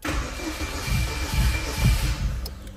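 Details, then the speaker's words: Chevrolet Celta towed in not running, after fuel suspected adulterated replaced with 5 L gasoline and system pressurised: uneven starter churning with low surges, seems to want to fire but never starts; old fuel in the rail suspected. "tá querendo pegar hein testar mais [Música] ve testar mais um pouquinho hein Até agora nada"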